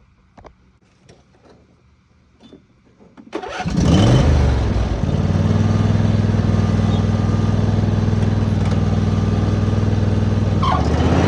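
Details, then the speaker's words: Craftsman T3000 riding mower (917.203900) after deck belt replacement: cranks, catches immediately and settles into steady even beat about four per second; PTO disengages properly; running healthy. "The PTO lever turns off properly. And everything is looking really good."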